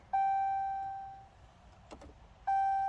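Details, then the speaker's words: 2017 Dodge Charger SXT, foot on brake, push-button start: two single warning chimes, no cranking; won't start, key fob not detected despite new fob battery, remote start disabled message, cause unclear. "So I put my foot on the brake, and I go ahead and try and push that start button, and I get nothing."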